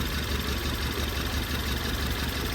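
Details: Ford Taurus 2018 turbo, strong shaking, code P0301: loping uneven idle thump with a missing beat in the low rumble; cylinder 1 not firing, dead compression.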